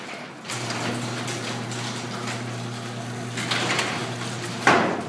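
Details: Garage door on its opener after a wood shim was wedged in to stop a sagging section dropping: steady opener hum while travelling, then one sharp pop near the end as the sagging panel section drops; shim did not fix it.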